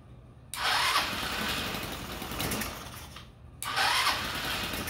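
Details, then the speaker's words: GY6 engine on a trike, after swapping the old open exhaust for a full muffler and adding cooling shrouds and fan: starts and runs evenly with a soft, muted exhaust note, much quieter than the open pipe; normal running. "so as you can see it's much quieter now compared to it just having an open pipe on there so that's good it doesn't sound too bad"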